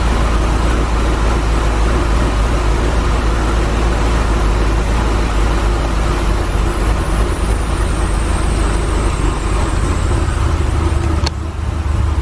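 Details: 2017 Chevy SS LS V8 first start after BTR Truck Stage 4 cam and valve spring install: deep, loud idle with choppy lope, running steadily with no knocks; a belt squeak was noted; engine healthy.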